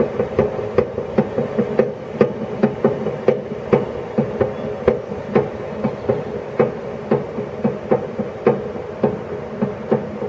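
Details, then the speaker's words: YardMax YW7565 chipper, under 4 hours use, greased and oiled: the cutting wheel coasts down after shutdown with a sharp clunk once per revolution over a low hum. The clunk also occurs on a manual spin with the plug boot off. Owner suspects a warped wheel or something jammed in the bearings. "so it's every sort of one full revolution it makes clunk i'm not sure whether that's just a normal thing or not"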